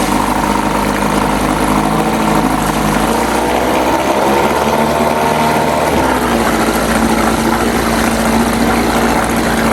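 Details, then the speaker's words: 1997 Johnson 6 hp outboard on a jon boat, running after its clogged tell-tale (pee) outlet was cleared. Buzzing fast and steady at a raised pitch, revs dipping briefly then climbing back. It idles too high in neutral but drops in gear, with the idle adjustment untouched. "seems to be running okay it's very high idled when it's in neutral but it goes down when you put it in gear"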